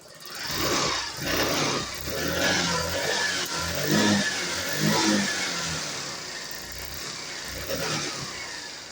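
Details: TVS Pep+ BS6 scooter after fixing a no-current fault (injector was not getting fuel), ignition coil refitted and current checked: engine fires and settles into a steady running note with light rattle and throttle blips; runs normally.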